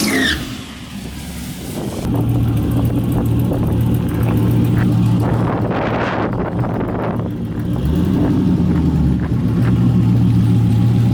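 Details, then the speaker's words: 1974 turbocharged Camaro V8 at full throttle on an eighth-mile drag pass, pulling hard, then the note stutters and goes ragged as it breaks up under boost; misfire, owner suspects a blown header gasket, unconfirmed. "It is breaking up, man. [Music] I heard it breaking up. Oh, she broke up bad. That was the worst breakup we've had."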